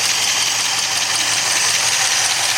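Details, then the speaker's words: 1964 Studebaker Daytona V8 fully warm, about 170 on gauge, oil pressure 30 psi at hot idle, smoke from Marvel Mystery Oil nearly gone, single exhaust: steady even idle with airy whir, no tapping or knocking; healthy. "Oil pressure is 30 at a hot idle."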